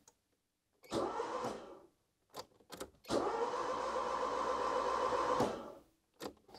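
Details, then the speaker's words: Barn-find 4WD Citroen BX (PSA), being reassembled; two bursts of steady starter cranking, never catches; no impulse on rev counter, owner suspects no crank sensor signal so ECU won't fire fuel pump, but could be other things. "not really but what I don't see either is any kind of impulse on the on the rev counter so don't think there is no any signal from the cranks sensor"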